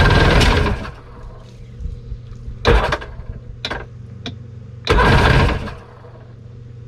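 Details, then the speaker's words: Jet ski (2001 Yamaha WaveRunner LX800 or 1996 Sea-Doo GTX) unrun for years, first start after plugs reinstalled, on choke: it cranks and briefly catches roughly, then fades out before another try; it fires but won't stay running. "wow that thing cranked right up all right let's try that again didn't stay running though that's with the choke on now"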